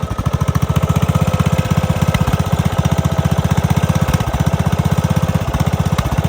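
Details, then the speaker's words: Craftsman DLS3500 riding mower that sat for years with old gas, driven around: loud single-cylinder thumping about four per second with uneven, stumbling pulses. Running rough; owner suspects the carburetor needs cleaning or fresh gas. "sounds like the carburetor needs cleaning or I just need to run that gas out of it maybe I just need fresh gas"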